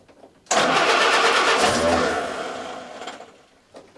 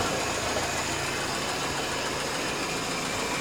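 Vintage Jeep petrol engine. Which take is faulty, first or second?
first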